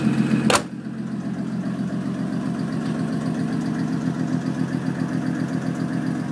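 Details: 2001 Audi S4 idling with quick, fairly even ticking about four per second from the driver side of the engine; the cause is unknown.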